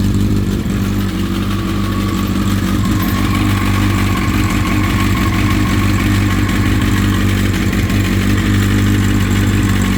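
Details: Honda CBR1000RR SC57 at cold start idle: light, uneven metallic top-end chatter that fades after brief warm-up and returns on restart after about ten minutes off; seemingly faint ticking while riding; owner suspects cam chain tensioner.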